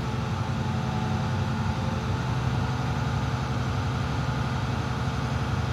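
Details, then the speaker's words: Bus diesel idling while rebuilding air to at least 100 psi during air brake test. Steady low diesel idle with even beat, no knocks or misses; normal diesel idle. "Okay, now I'm going to build my air back up to 100 psi minimum. Okay, I'm going to stay between 10 and 15 RPM."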